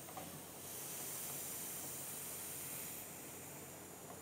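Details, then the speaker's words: Vintage Air front runner AC system coil lines on a 1965-66 Mustang, caps removed during test fit: soft steady hiss swells then fades as the shipping pressure bleeds out; normal. "it's it's a tag on it says coil coil lines are under pressure please remove caps carefully i can hear the pressure bleed out of it okay pressure's gone now"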